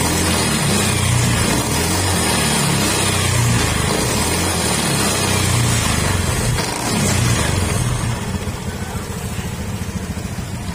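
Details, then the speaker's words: Honda Beat FI v2 scooter running: rough gritty hum and uneven rattle from the final drive gearing that grows louder at higher speed, like a crushed bearing; gear oil milky from water; worn final drive bearing. "Maingay pagka lalo tumatakbo ng matulin, maingay. Yan, kung maririnig nyo, parang may durog na bearing. Ano? Lalo pagka tumakbo na yan, mas malakas pa yung ingay."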